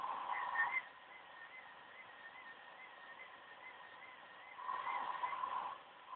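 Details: OCZ ZX1250 80+ Gold power supply under the Windows 7 performance benchmark. A thin high-pitched whine around 1–2 kHz wavers and swells in bursts with load. This is coil whine from the supply's chokes.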